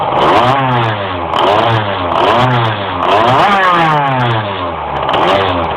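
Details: Engine struggling to climb in revs while driving: revs climb, sag and climb again in repeated uneven surges; hesitation under acceleration.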